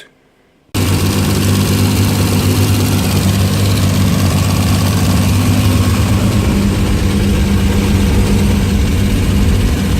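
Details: Newly built engine after previous engine blew up, during race prep: fires after a moment of silence and settles into a steady, even low idle with no knocks or misses; normal idle.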